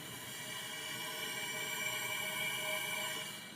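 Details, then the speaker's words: BluePrint 383 stroker V8 with 800 miles, oil pumping from the dipstick tube and fouling plugs, during a leak-down test on cylinder four: steady airy hiss from the dipstick tube; air escaping past the piston rings, with valves and head gaskets OK. "okay cylinder number four is blowing oil out of the dipstick tube"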